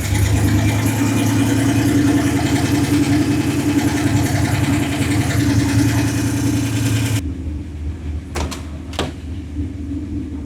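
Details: 1976 Ford F250 turbo 331 V8 just fitted with a bigger cam and freshened heads, first run; steady low idle with a faint rhythmic chop from the bigger cam, then shutdown, otherwise clean and normal; tune expected to need readjusting.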